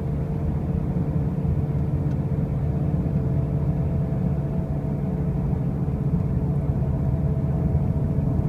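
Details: 2005 Pontiac Grand Prix with brand new wheel bearings and new tires: a heavy, constant low droning rumble while driving, with no clear knock or squeal; a loud road-speed noise, cause undetermined.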